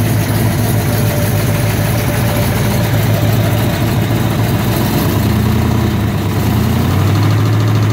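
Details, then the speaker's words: 1967 Corvette with a 427 V8: lumpy idle with a dull, uneven low knock, roughly three per second, which began on the last drive home and seems to come from the bottom end; engine to be pulled and gone through. "the last drive i took that 427 out on on the way home it started making some noise it sounds like from the bottom end"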